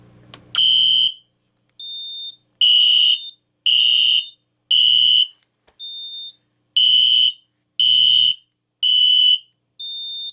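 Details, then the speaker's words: Kidde FX series fire panel test, System Sensor P2475 SpectrAlert Classic horn strobe with fixed candela strobe: shrill repeating blasts about a second long, some thinner and quieter as horn pitch drops; typical of older fixed-candela SpectrAlerts. "You can hear the pitch drop on the older Spectre alerts with a fixed candela strobe, which is very interesting."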